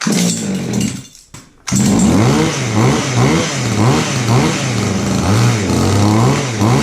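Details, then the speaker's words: Goped-style small two-stroke scooter after fixing throttle that made engine run away: buzz rises and falls with repeated throttle blips, dropping back to idle every time; throttle now returns properly. "alright that's running let's try it outside"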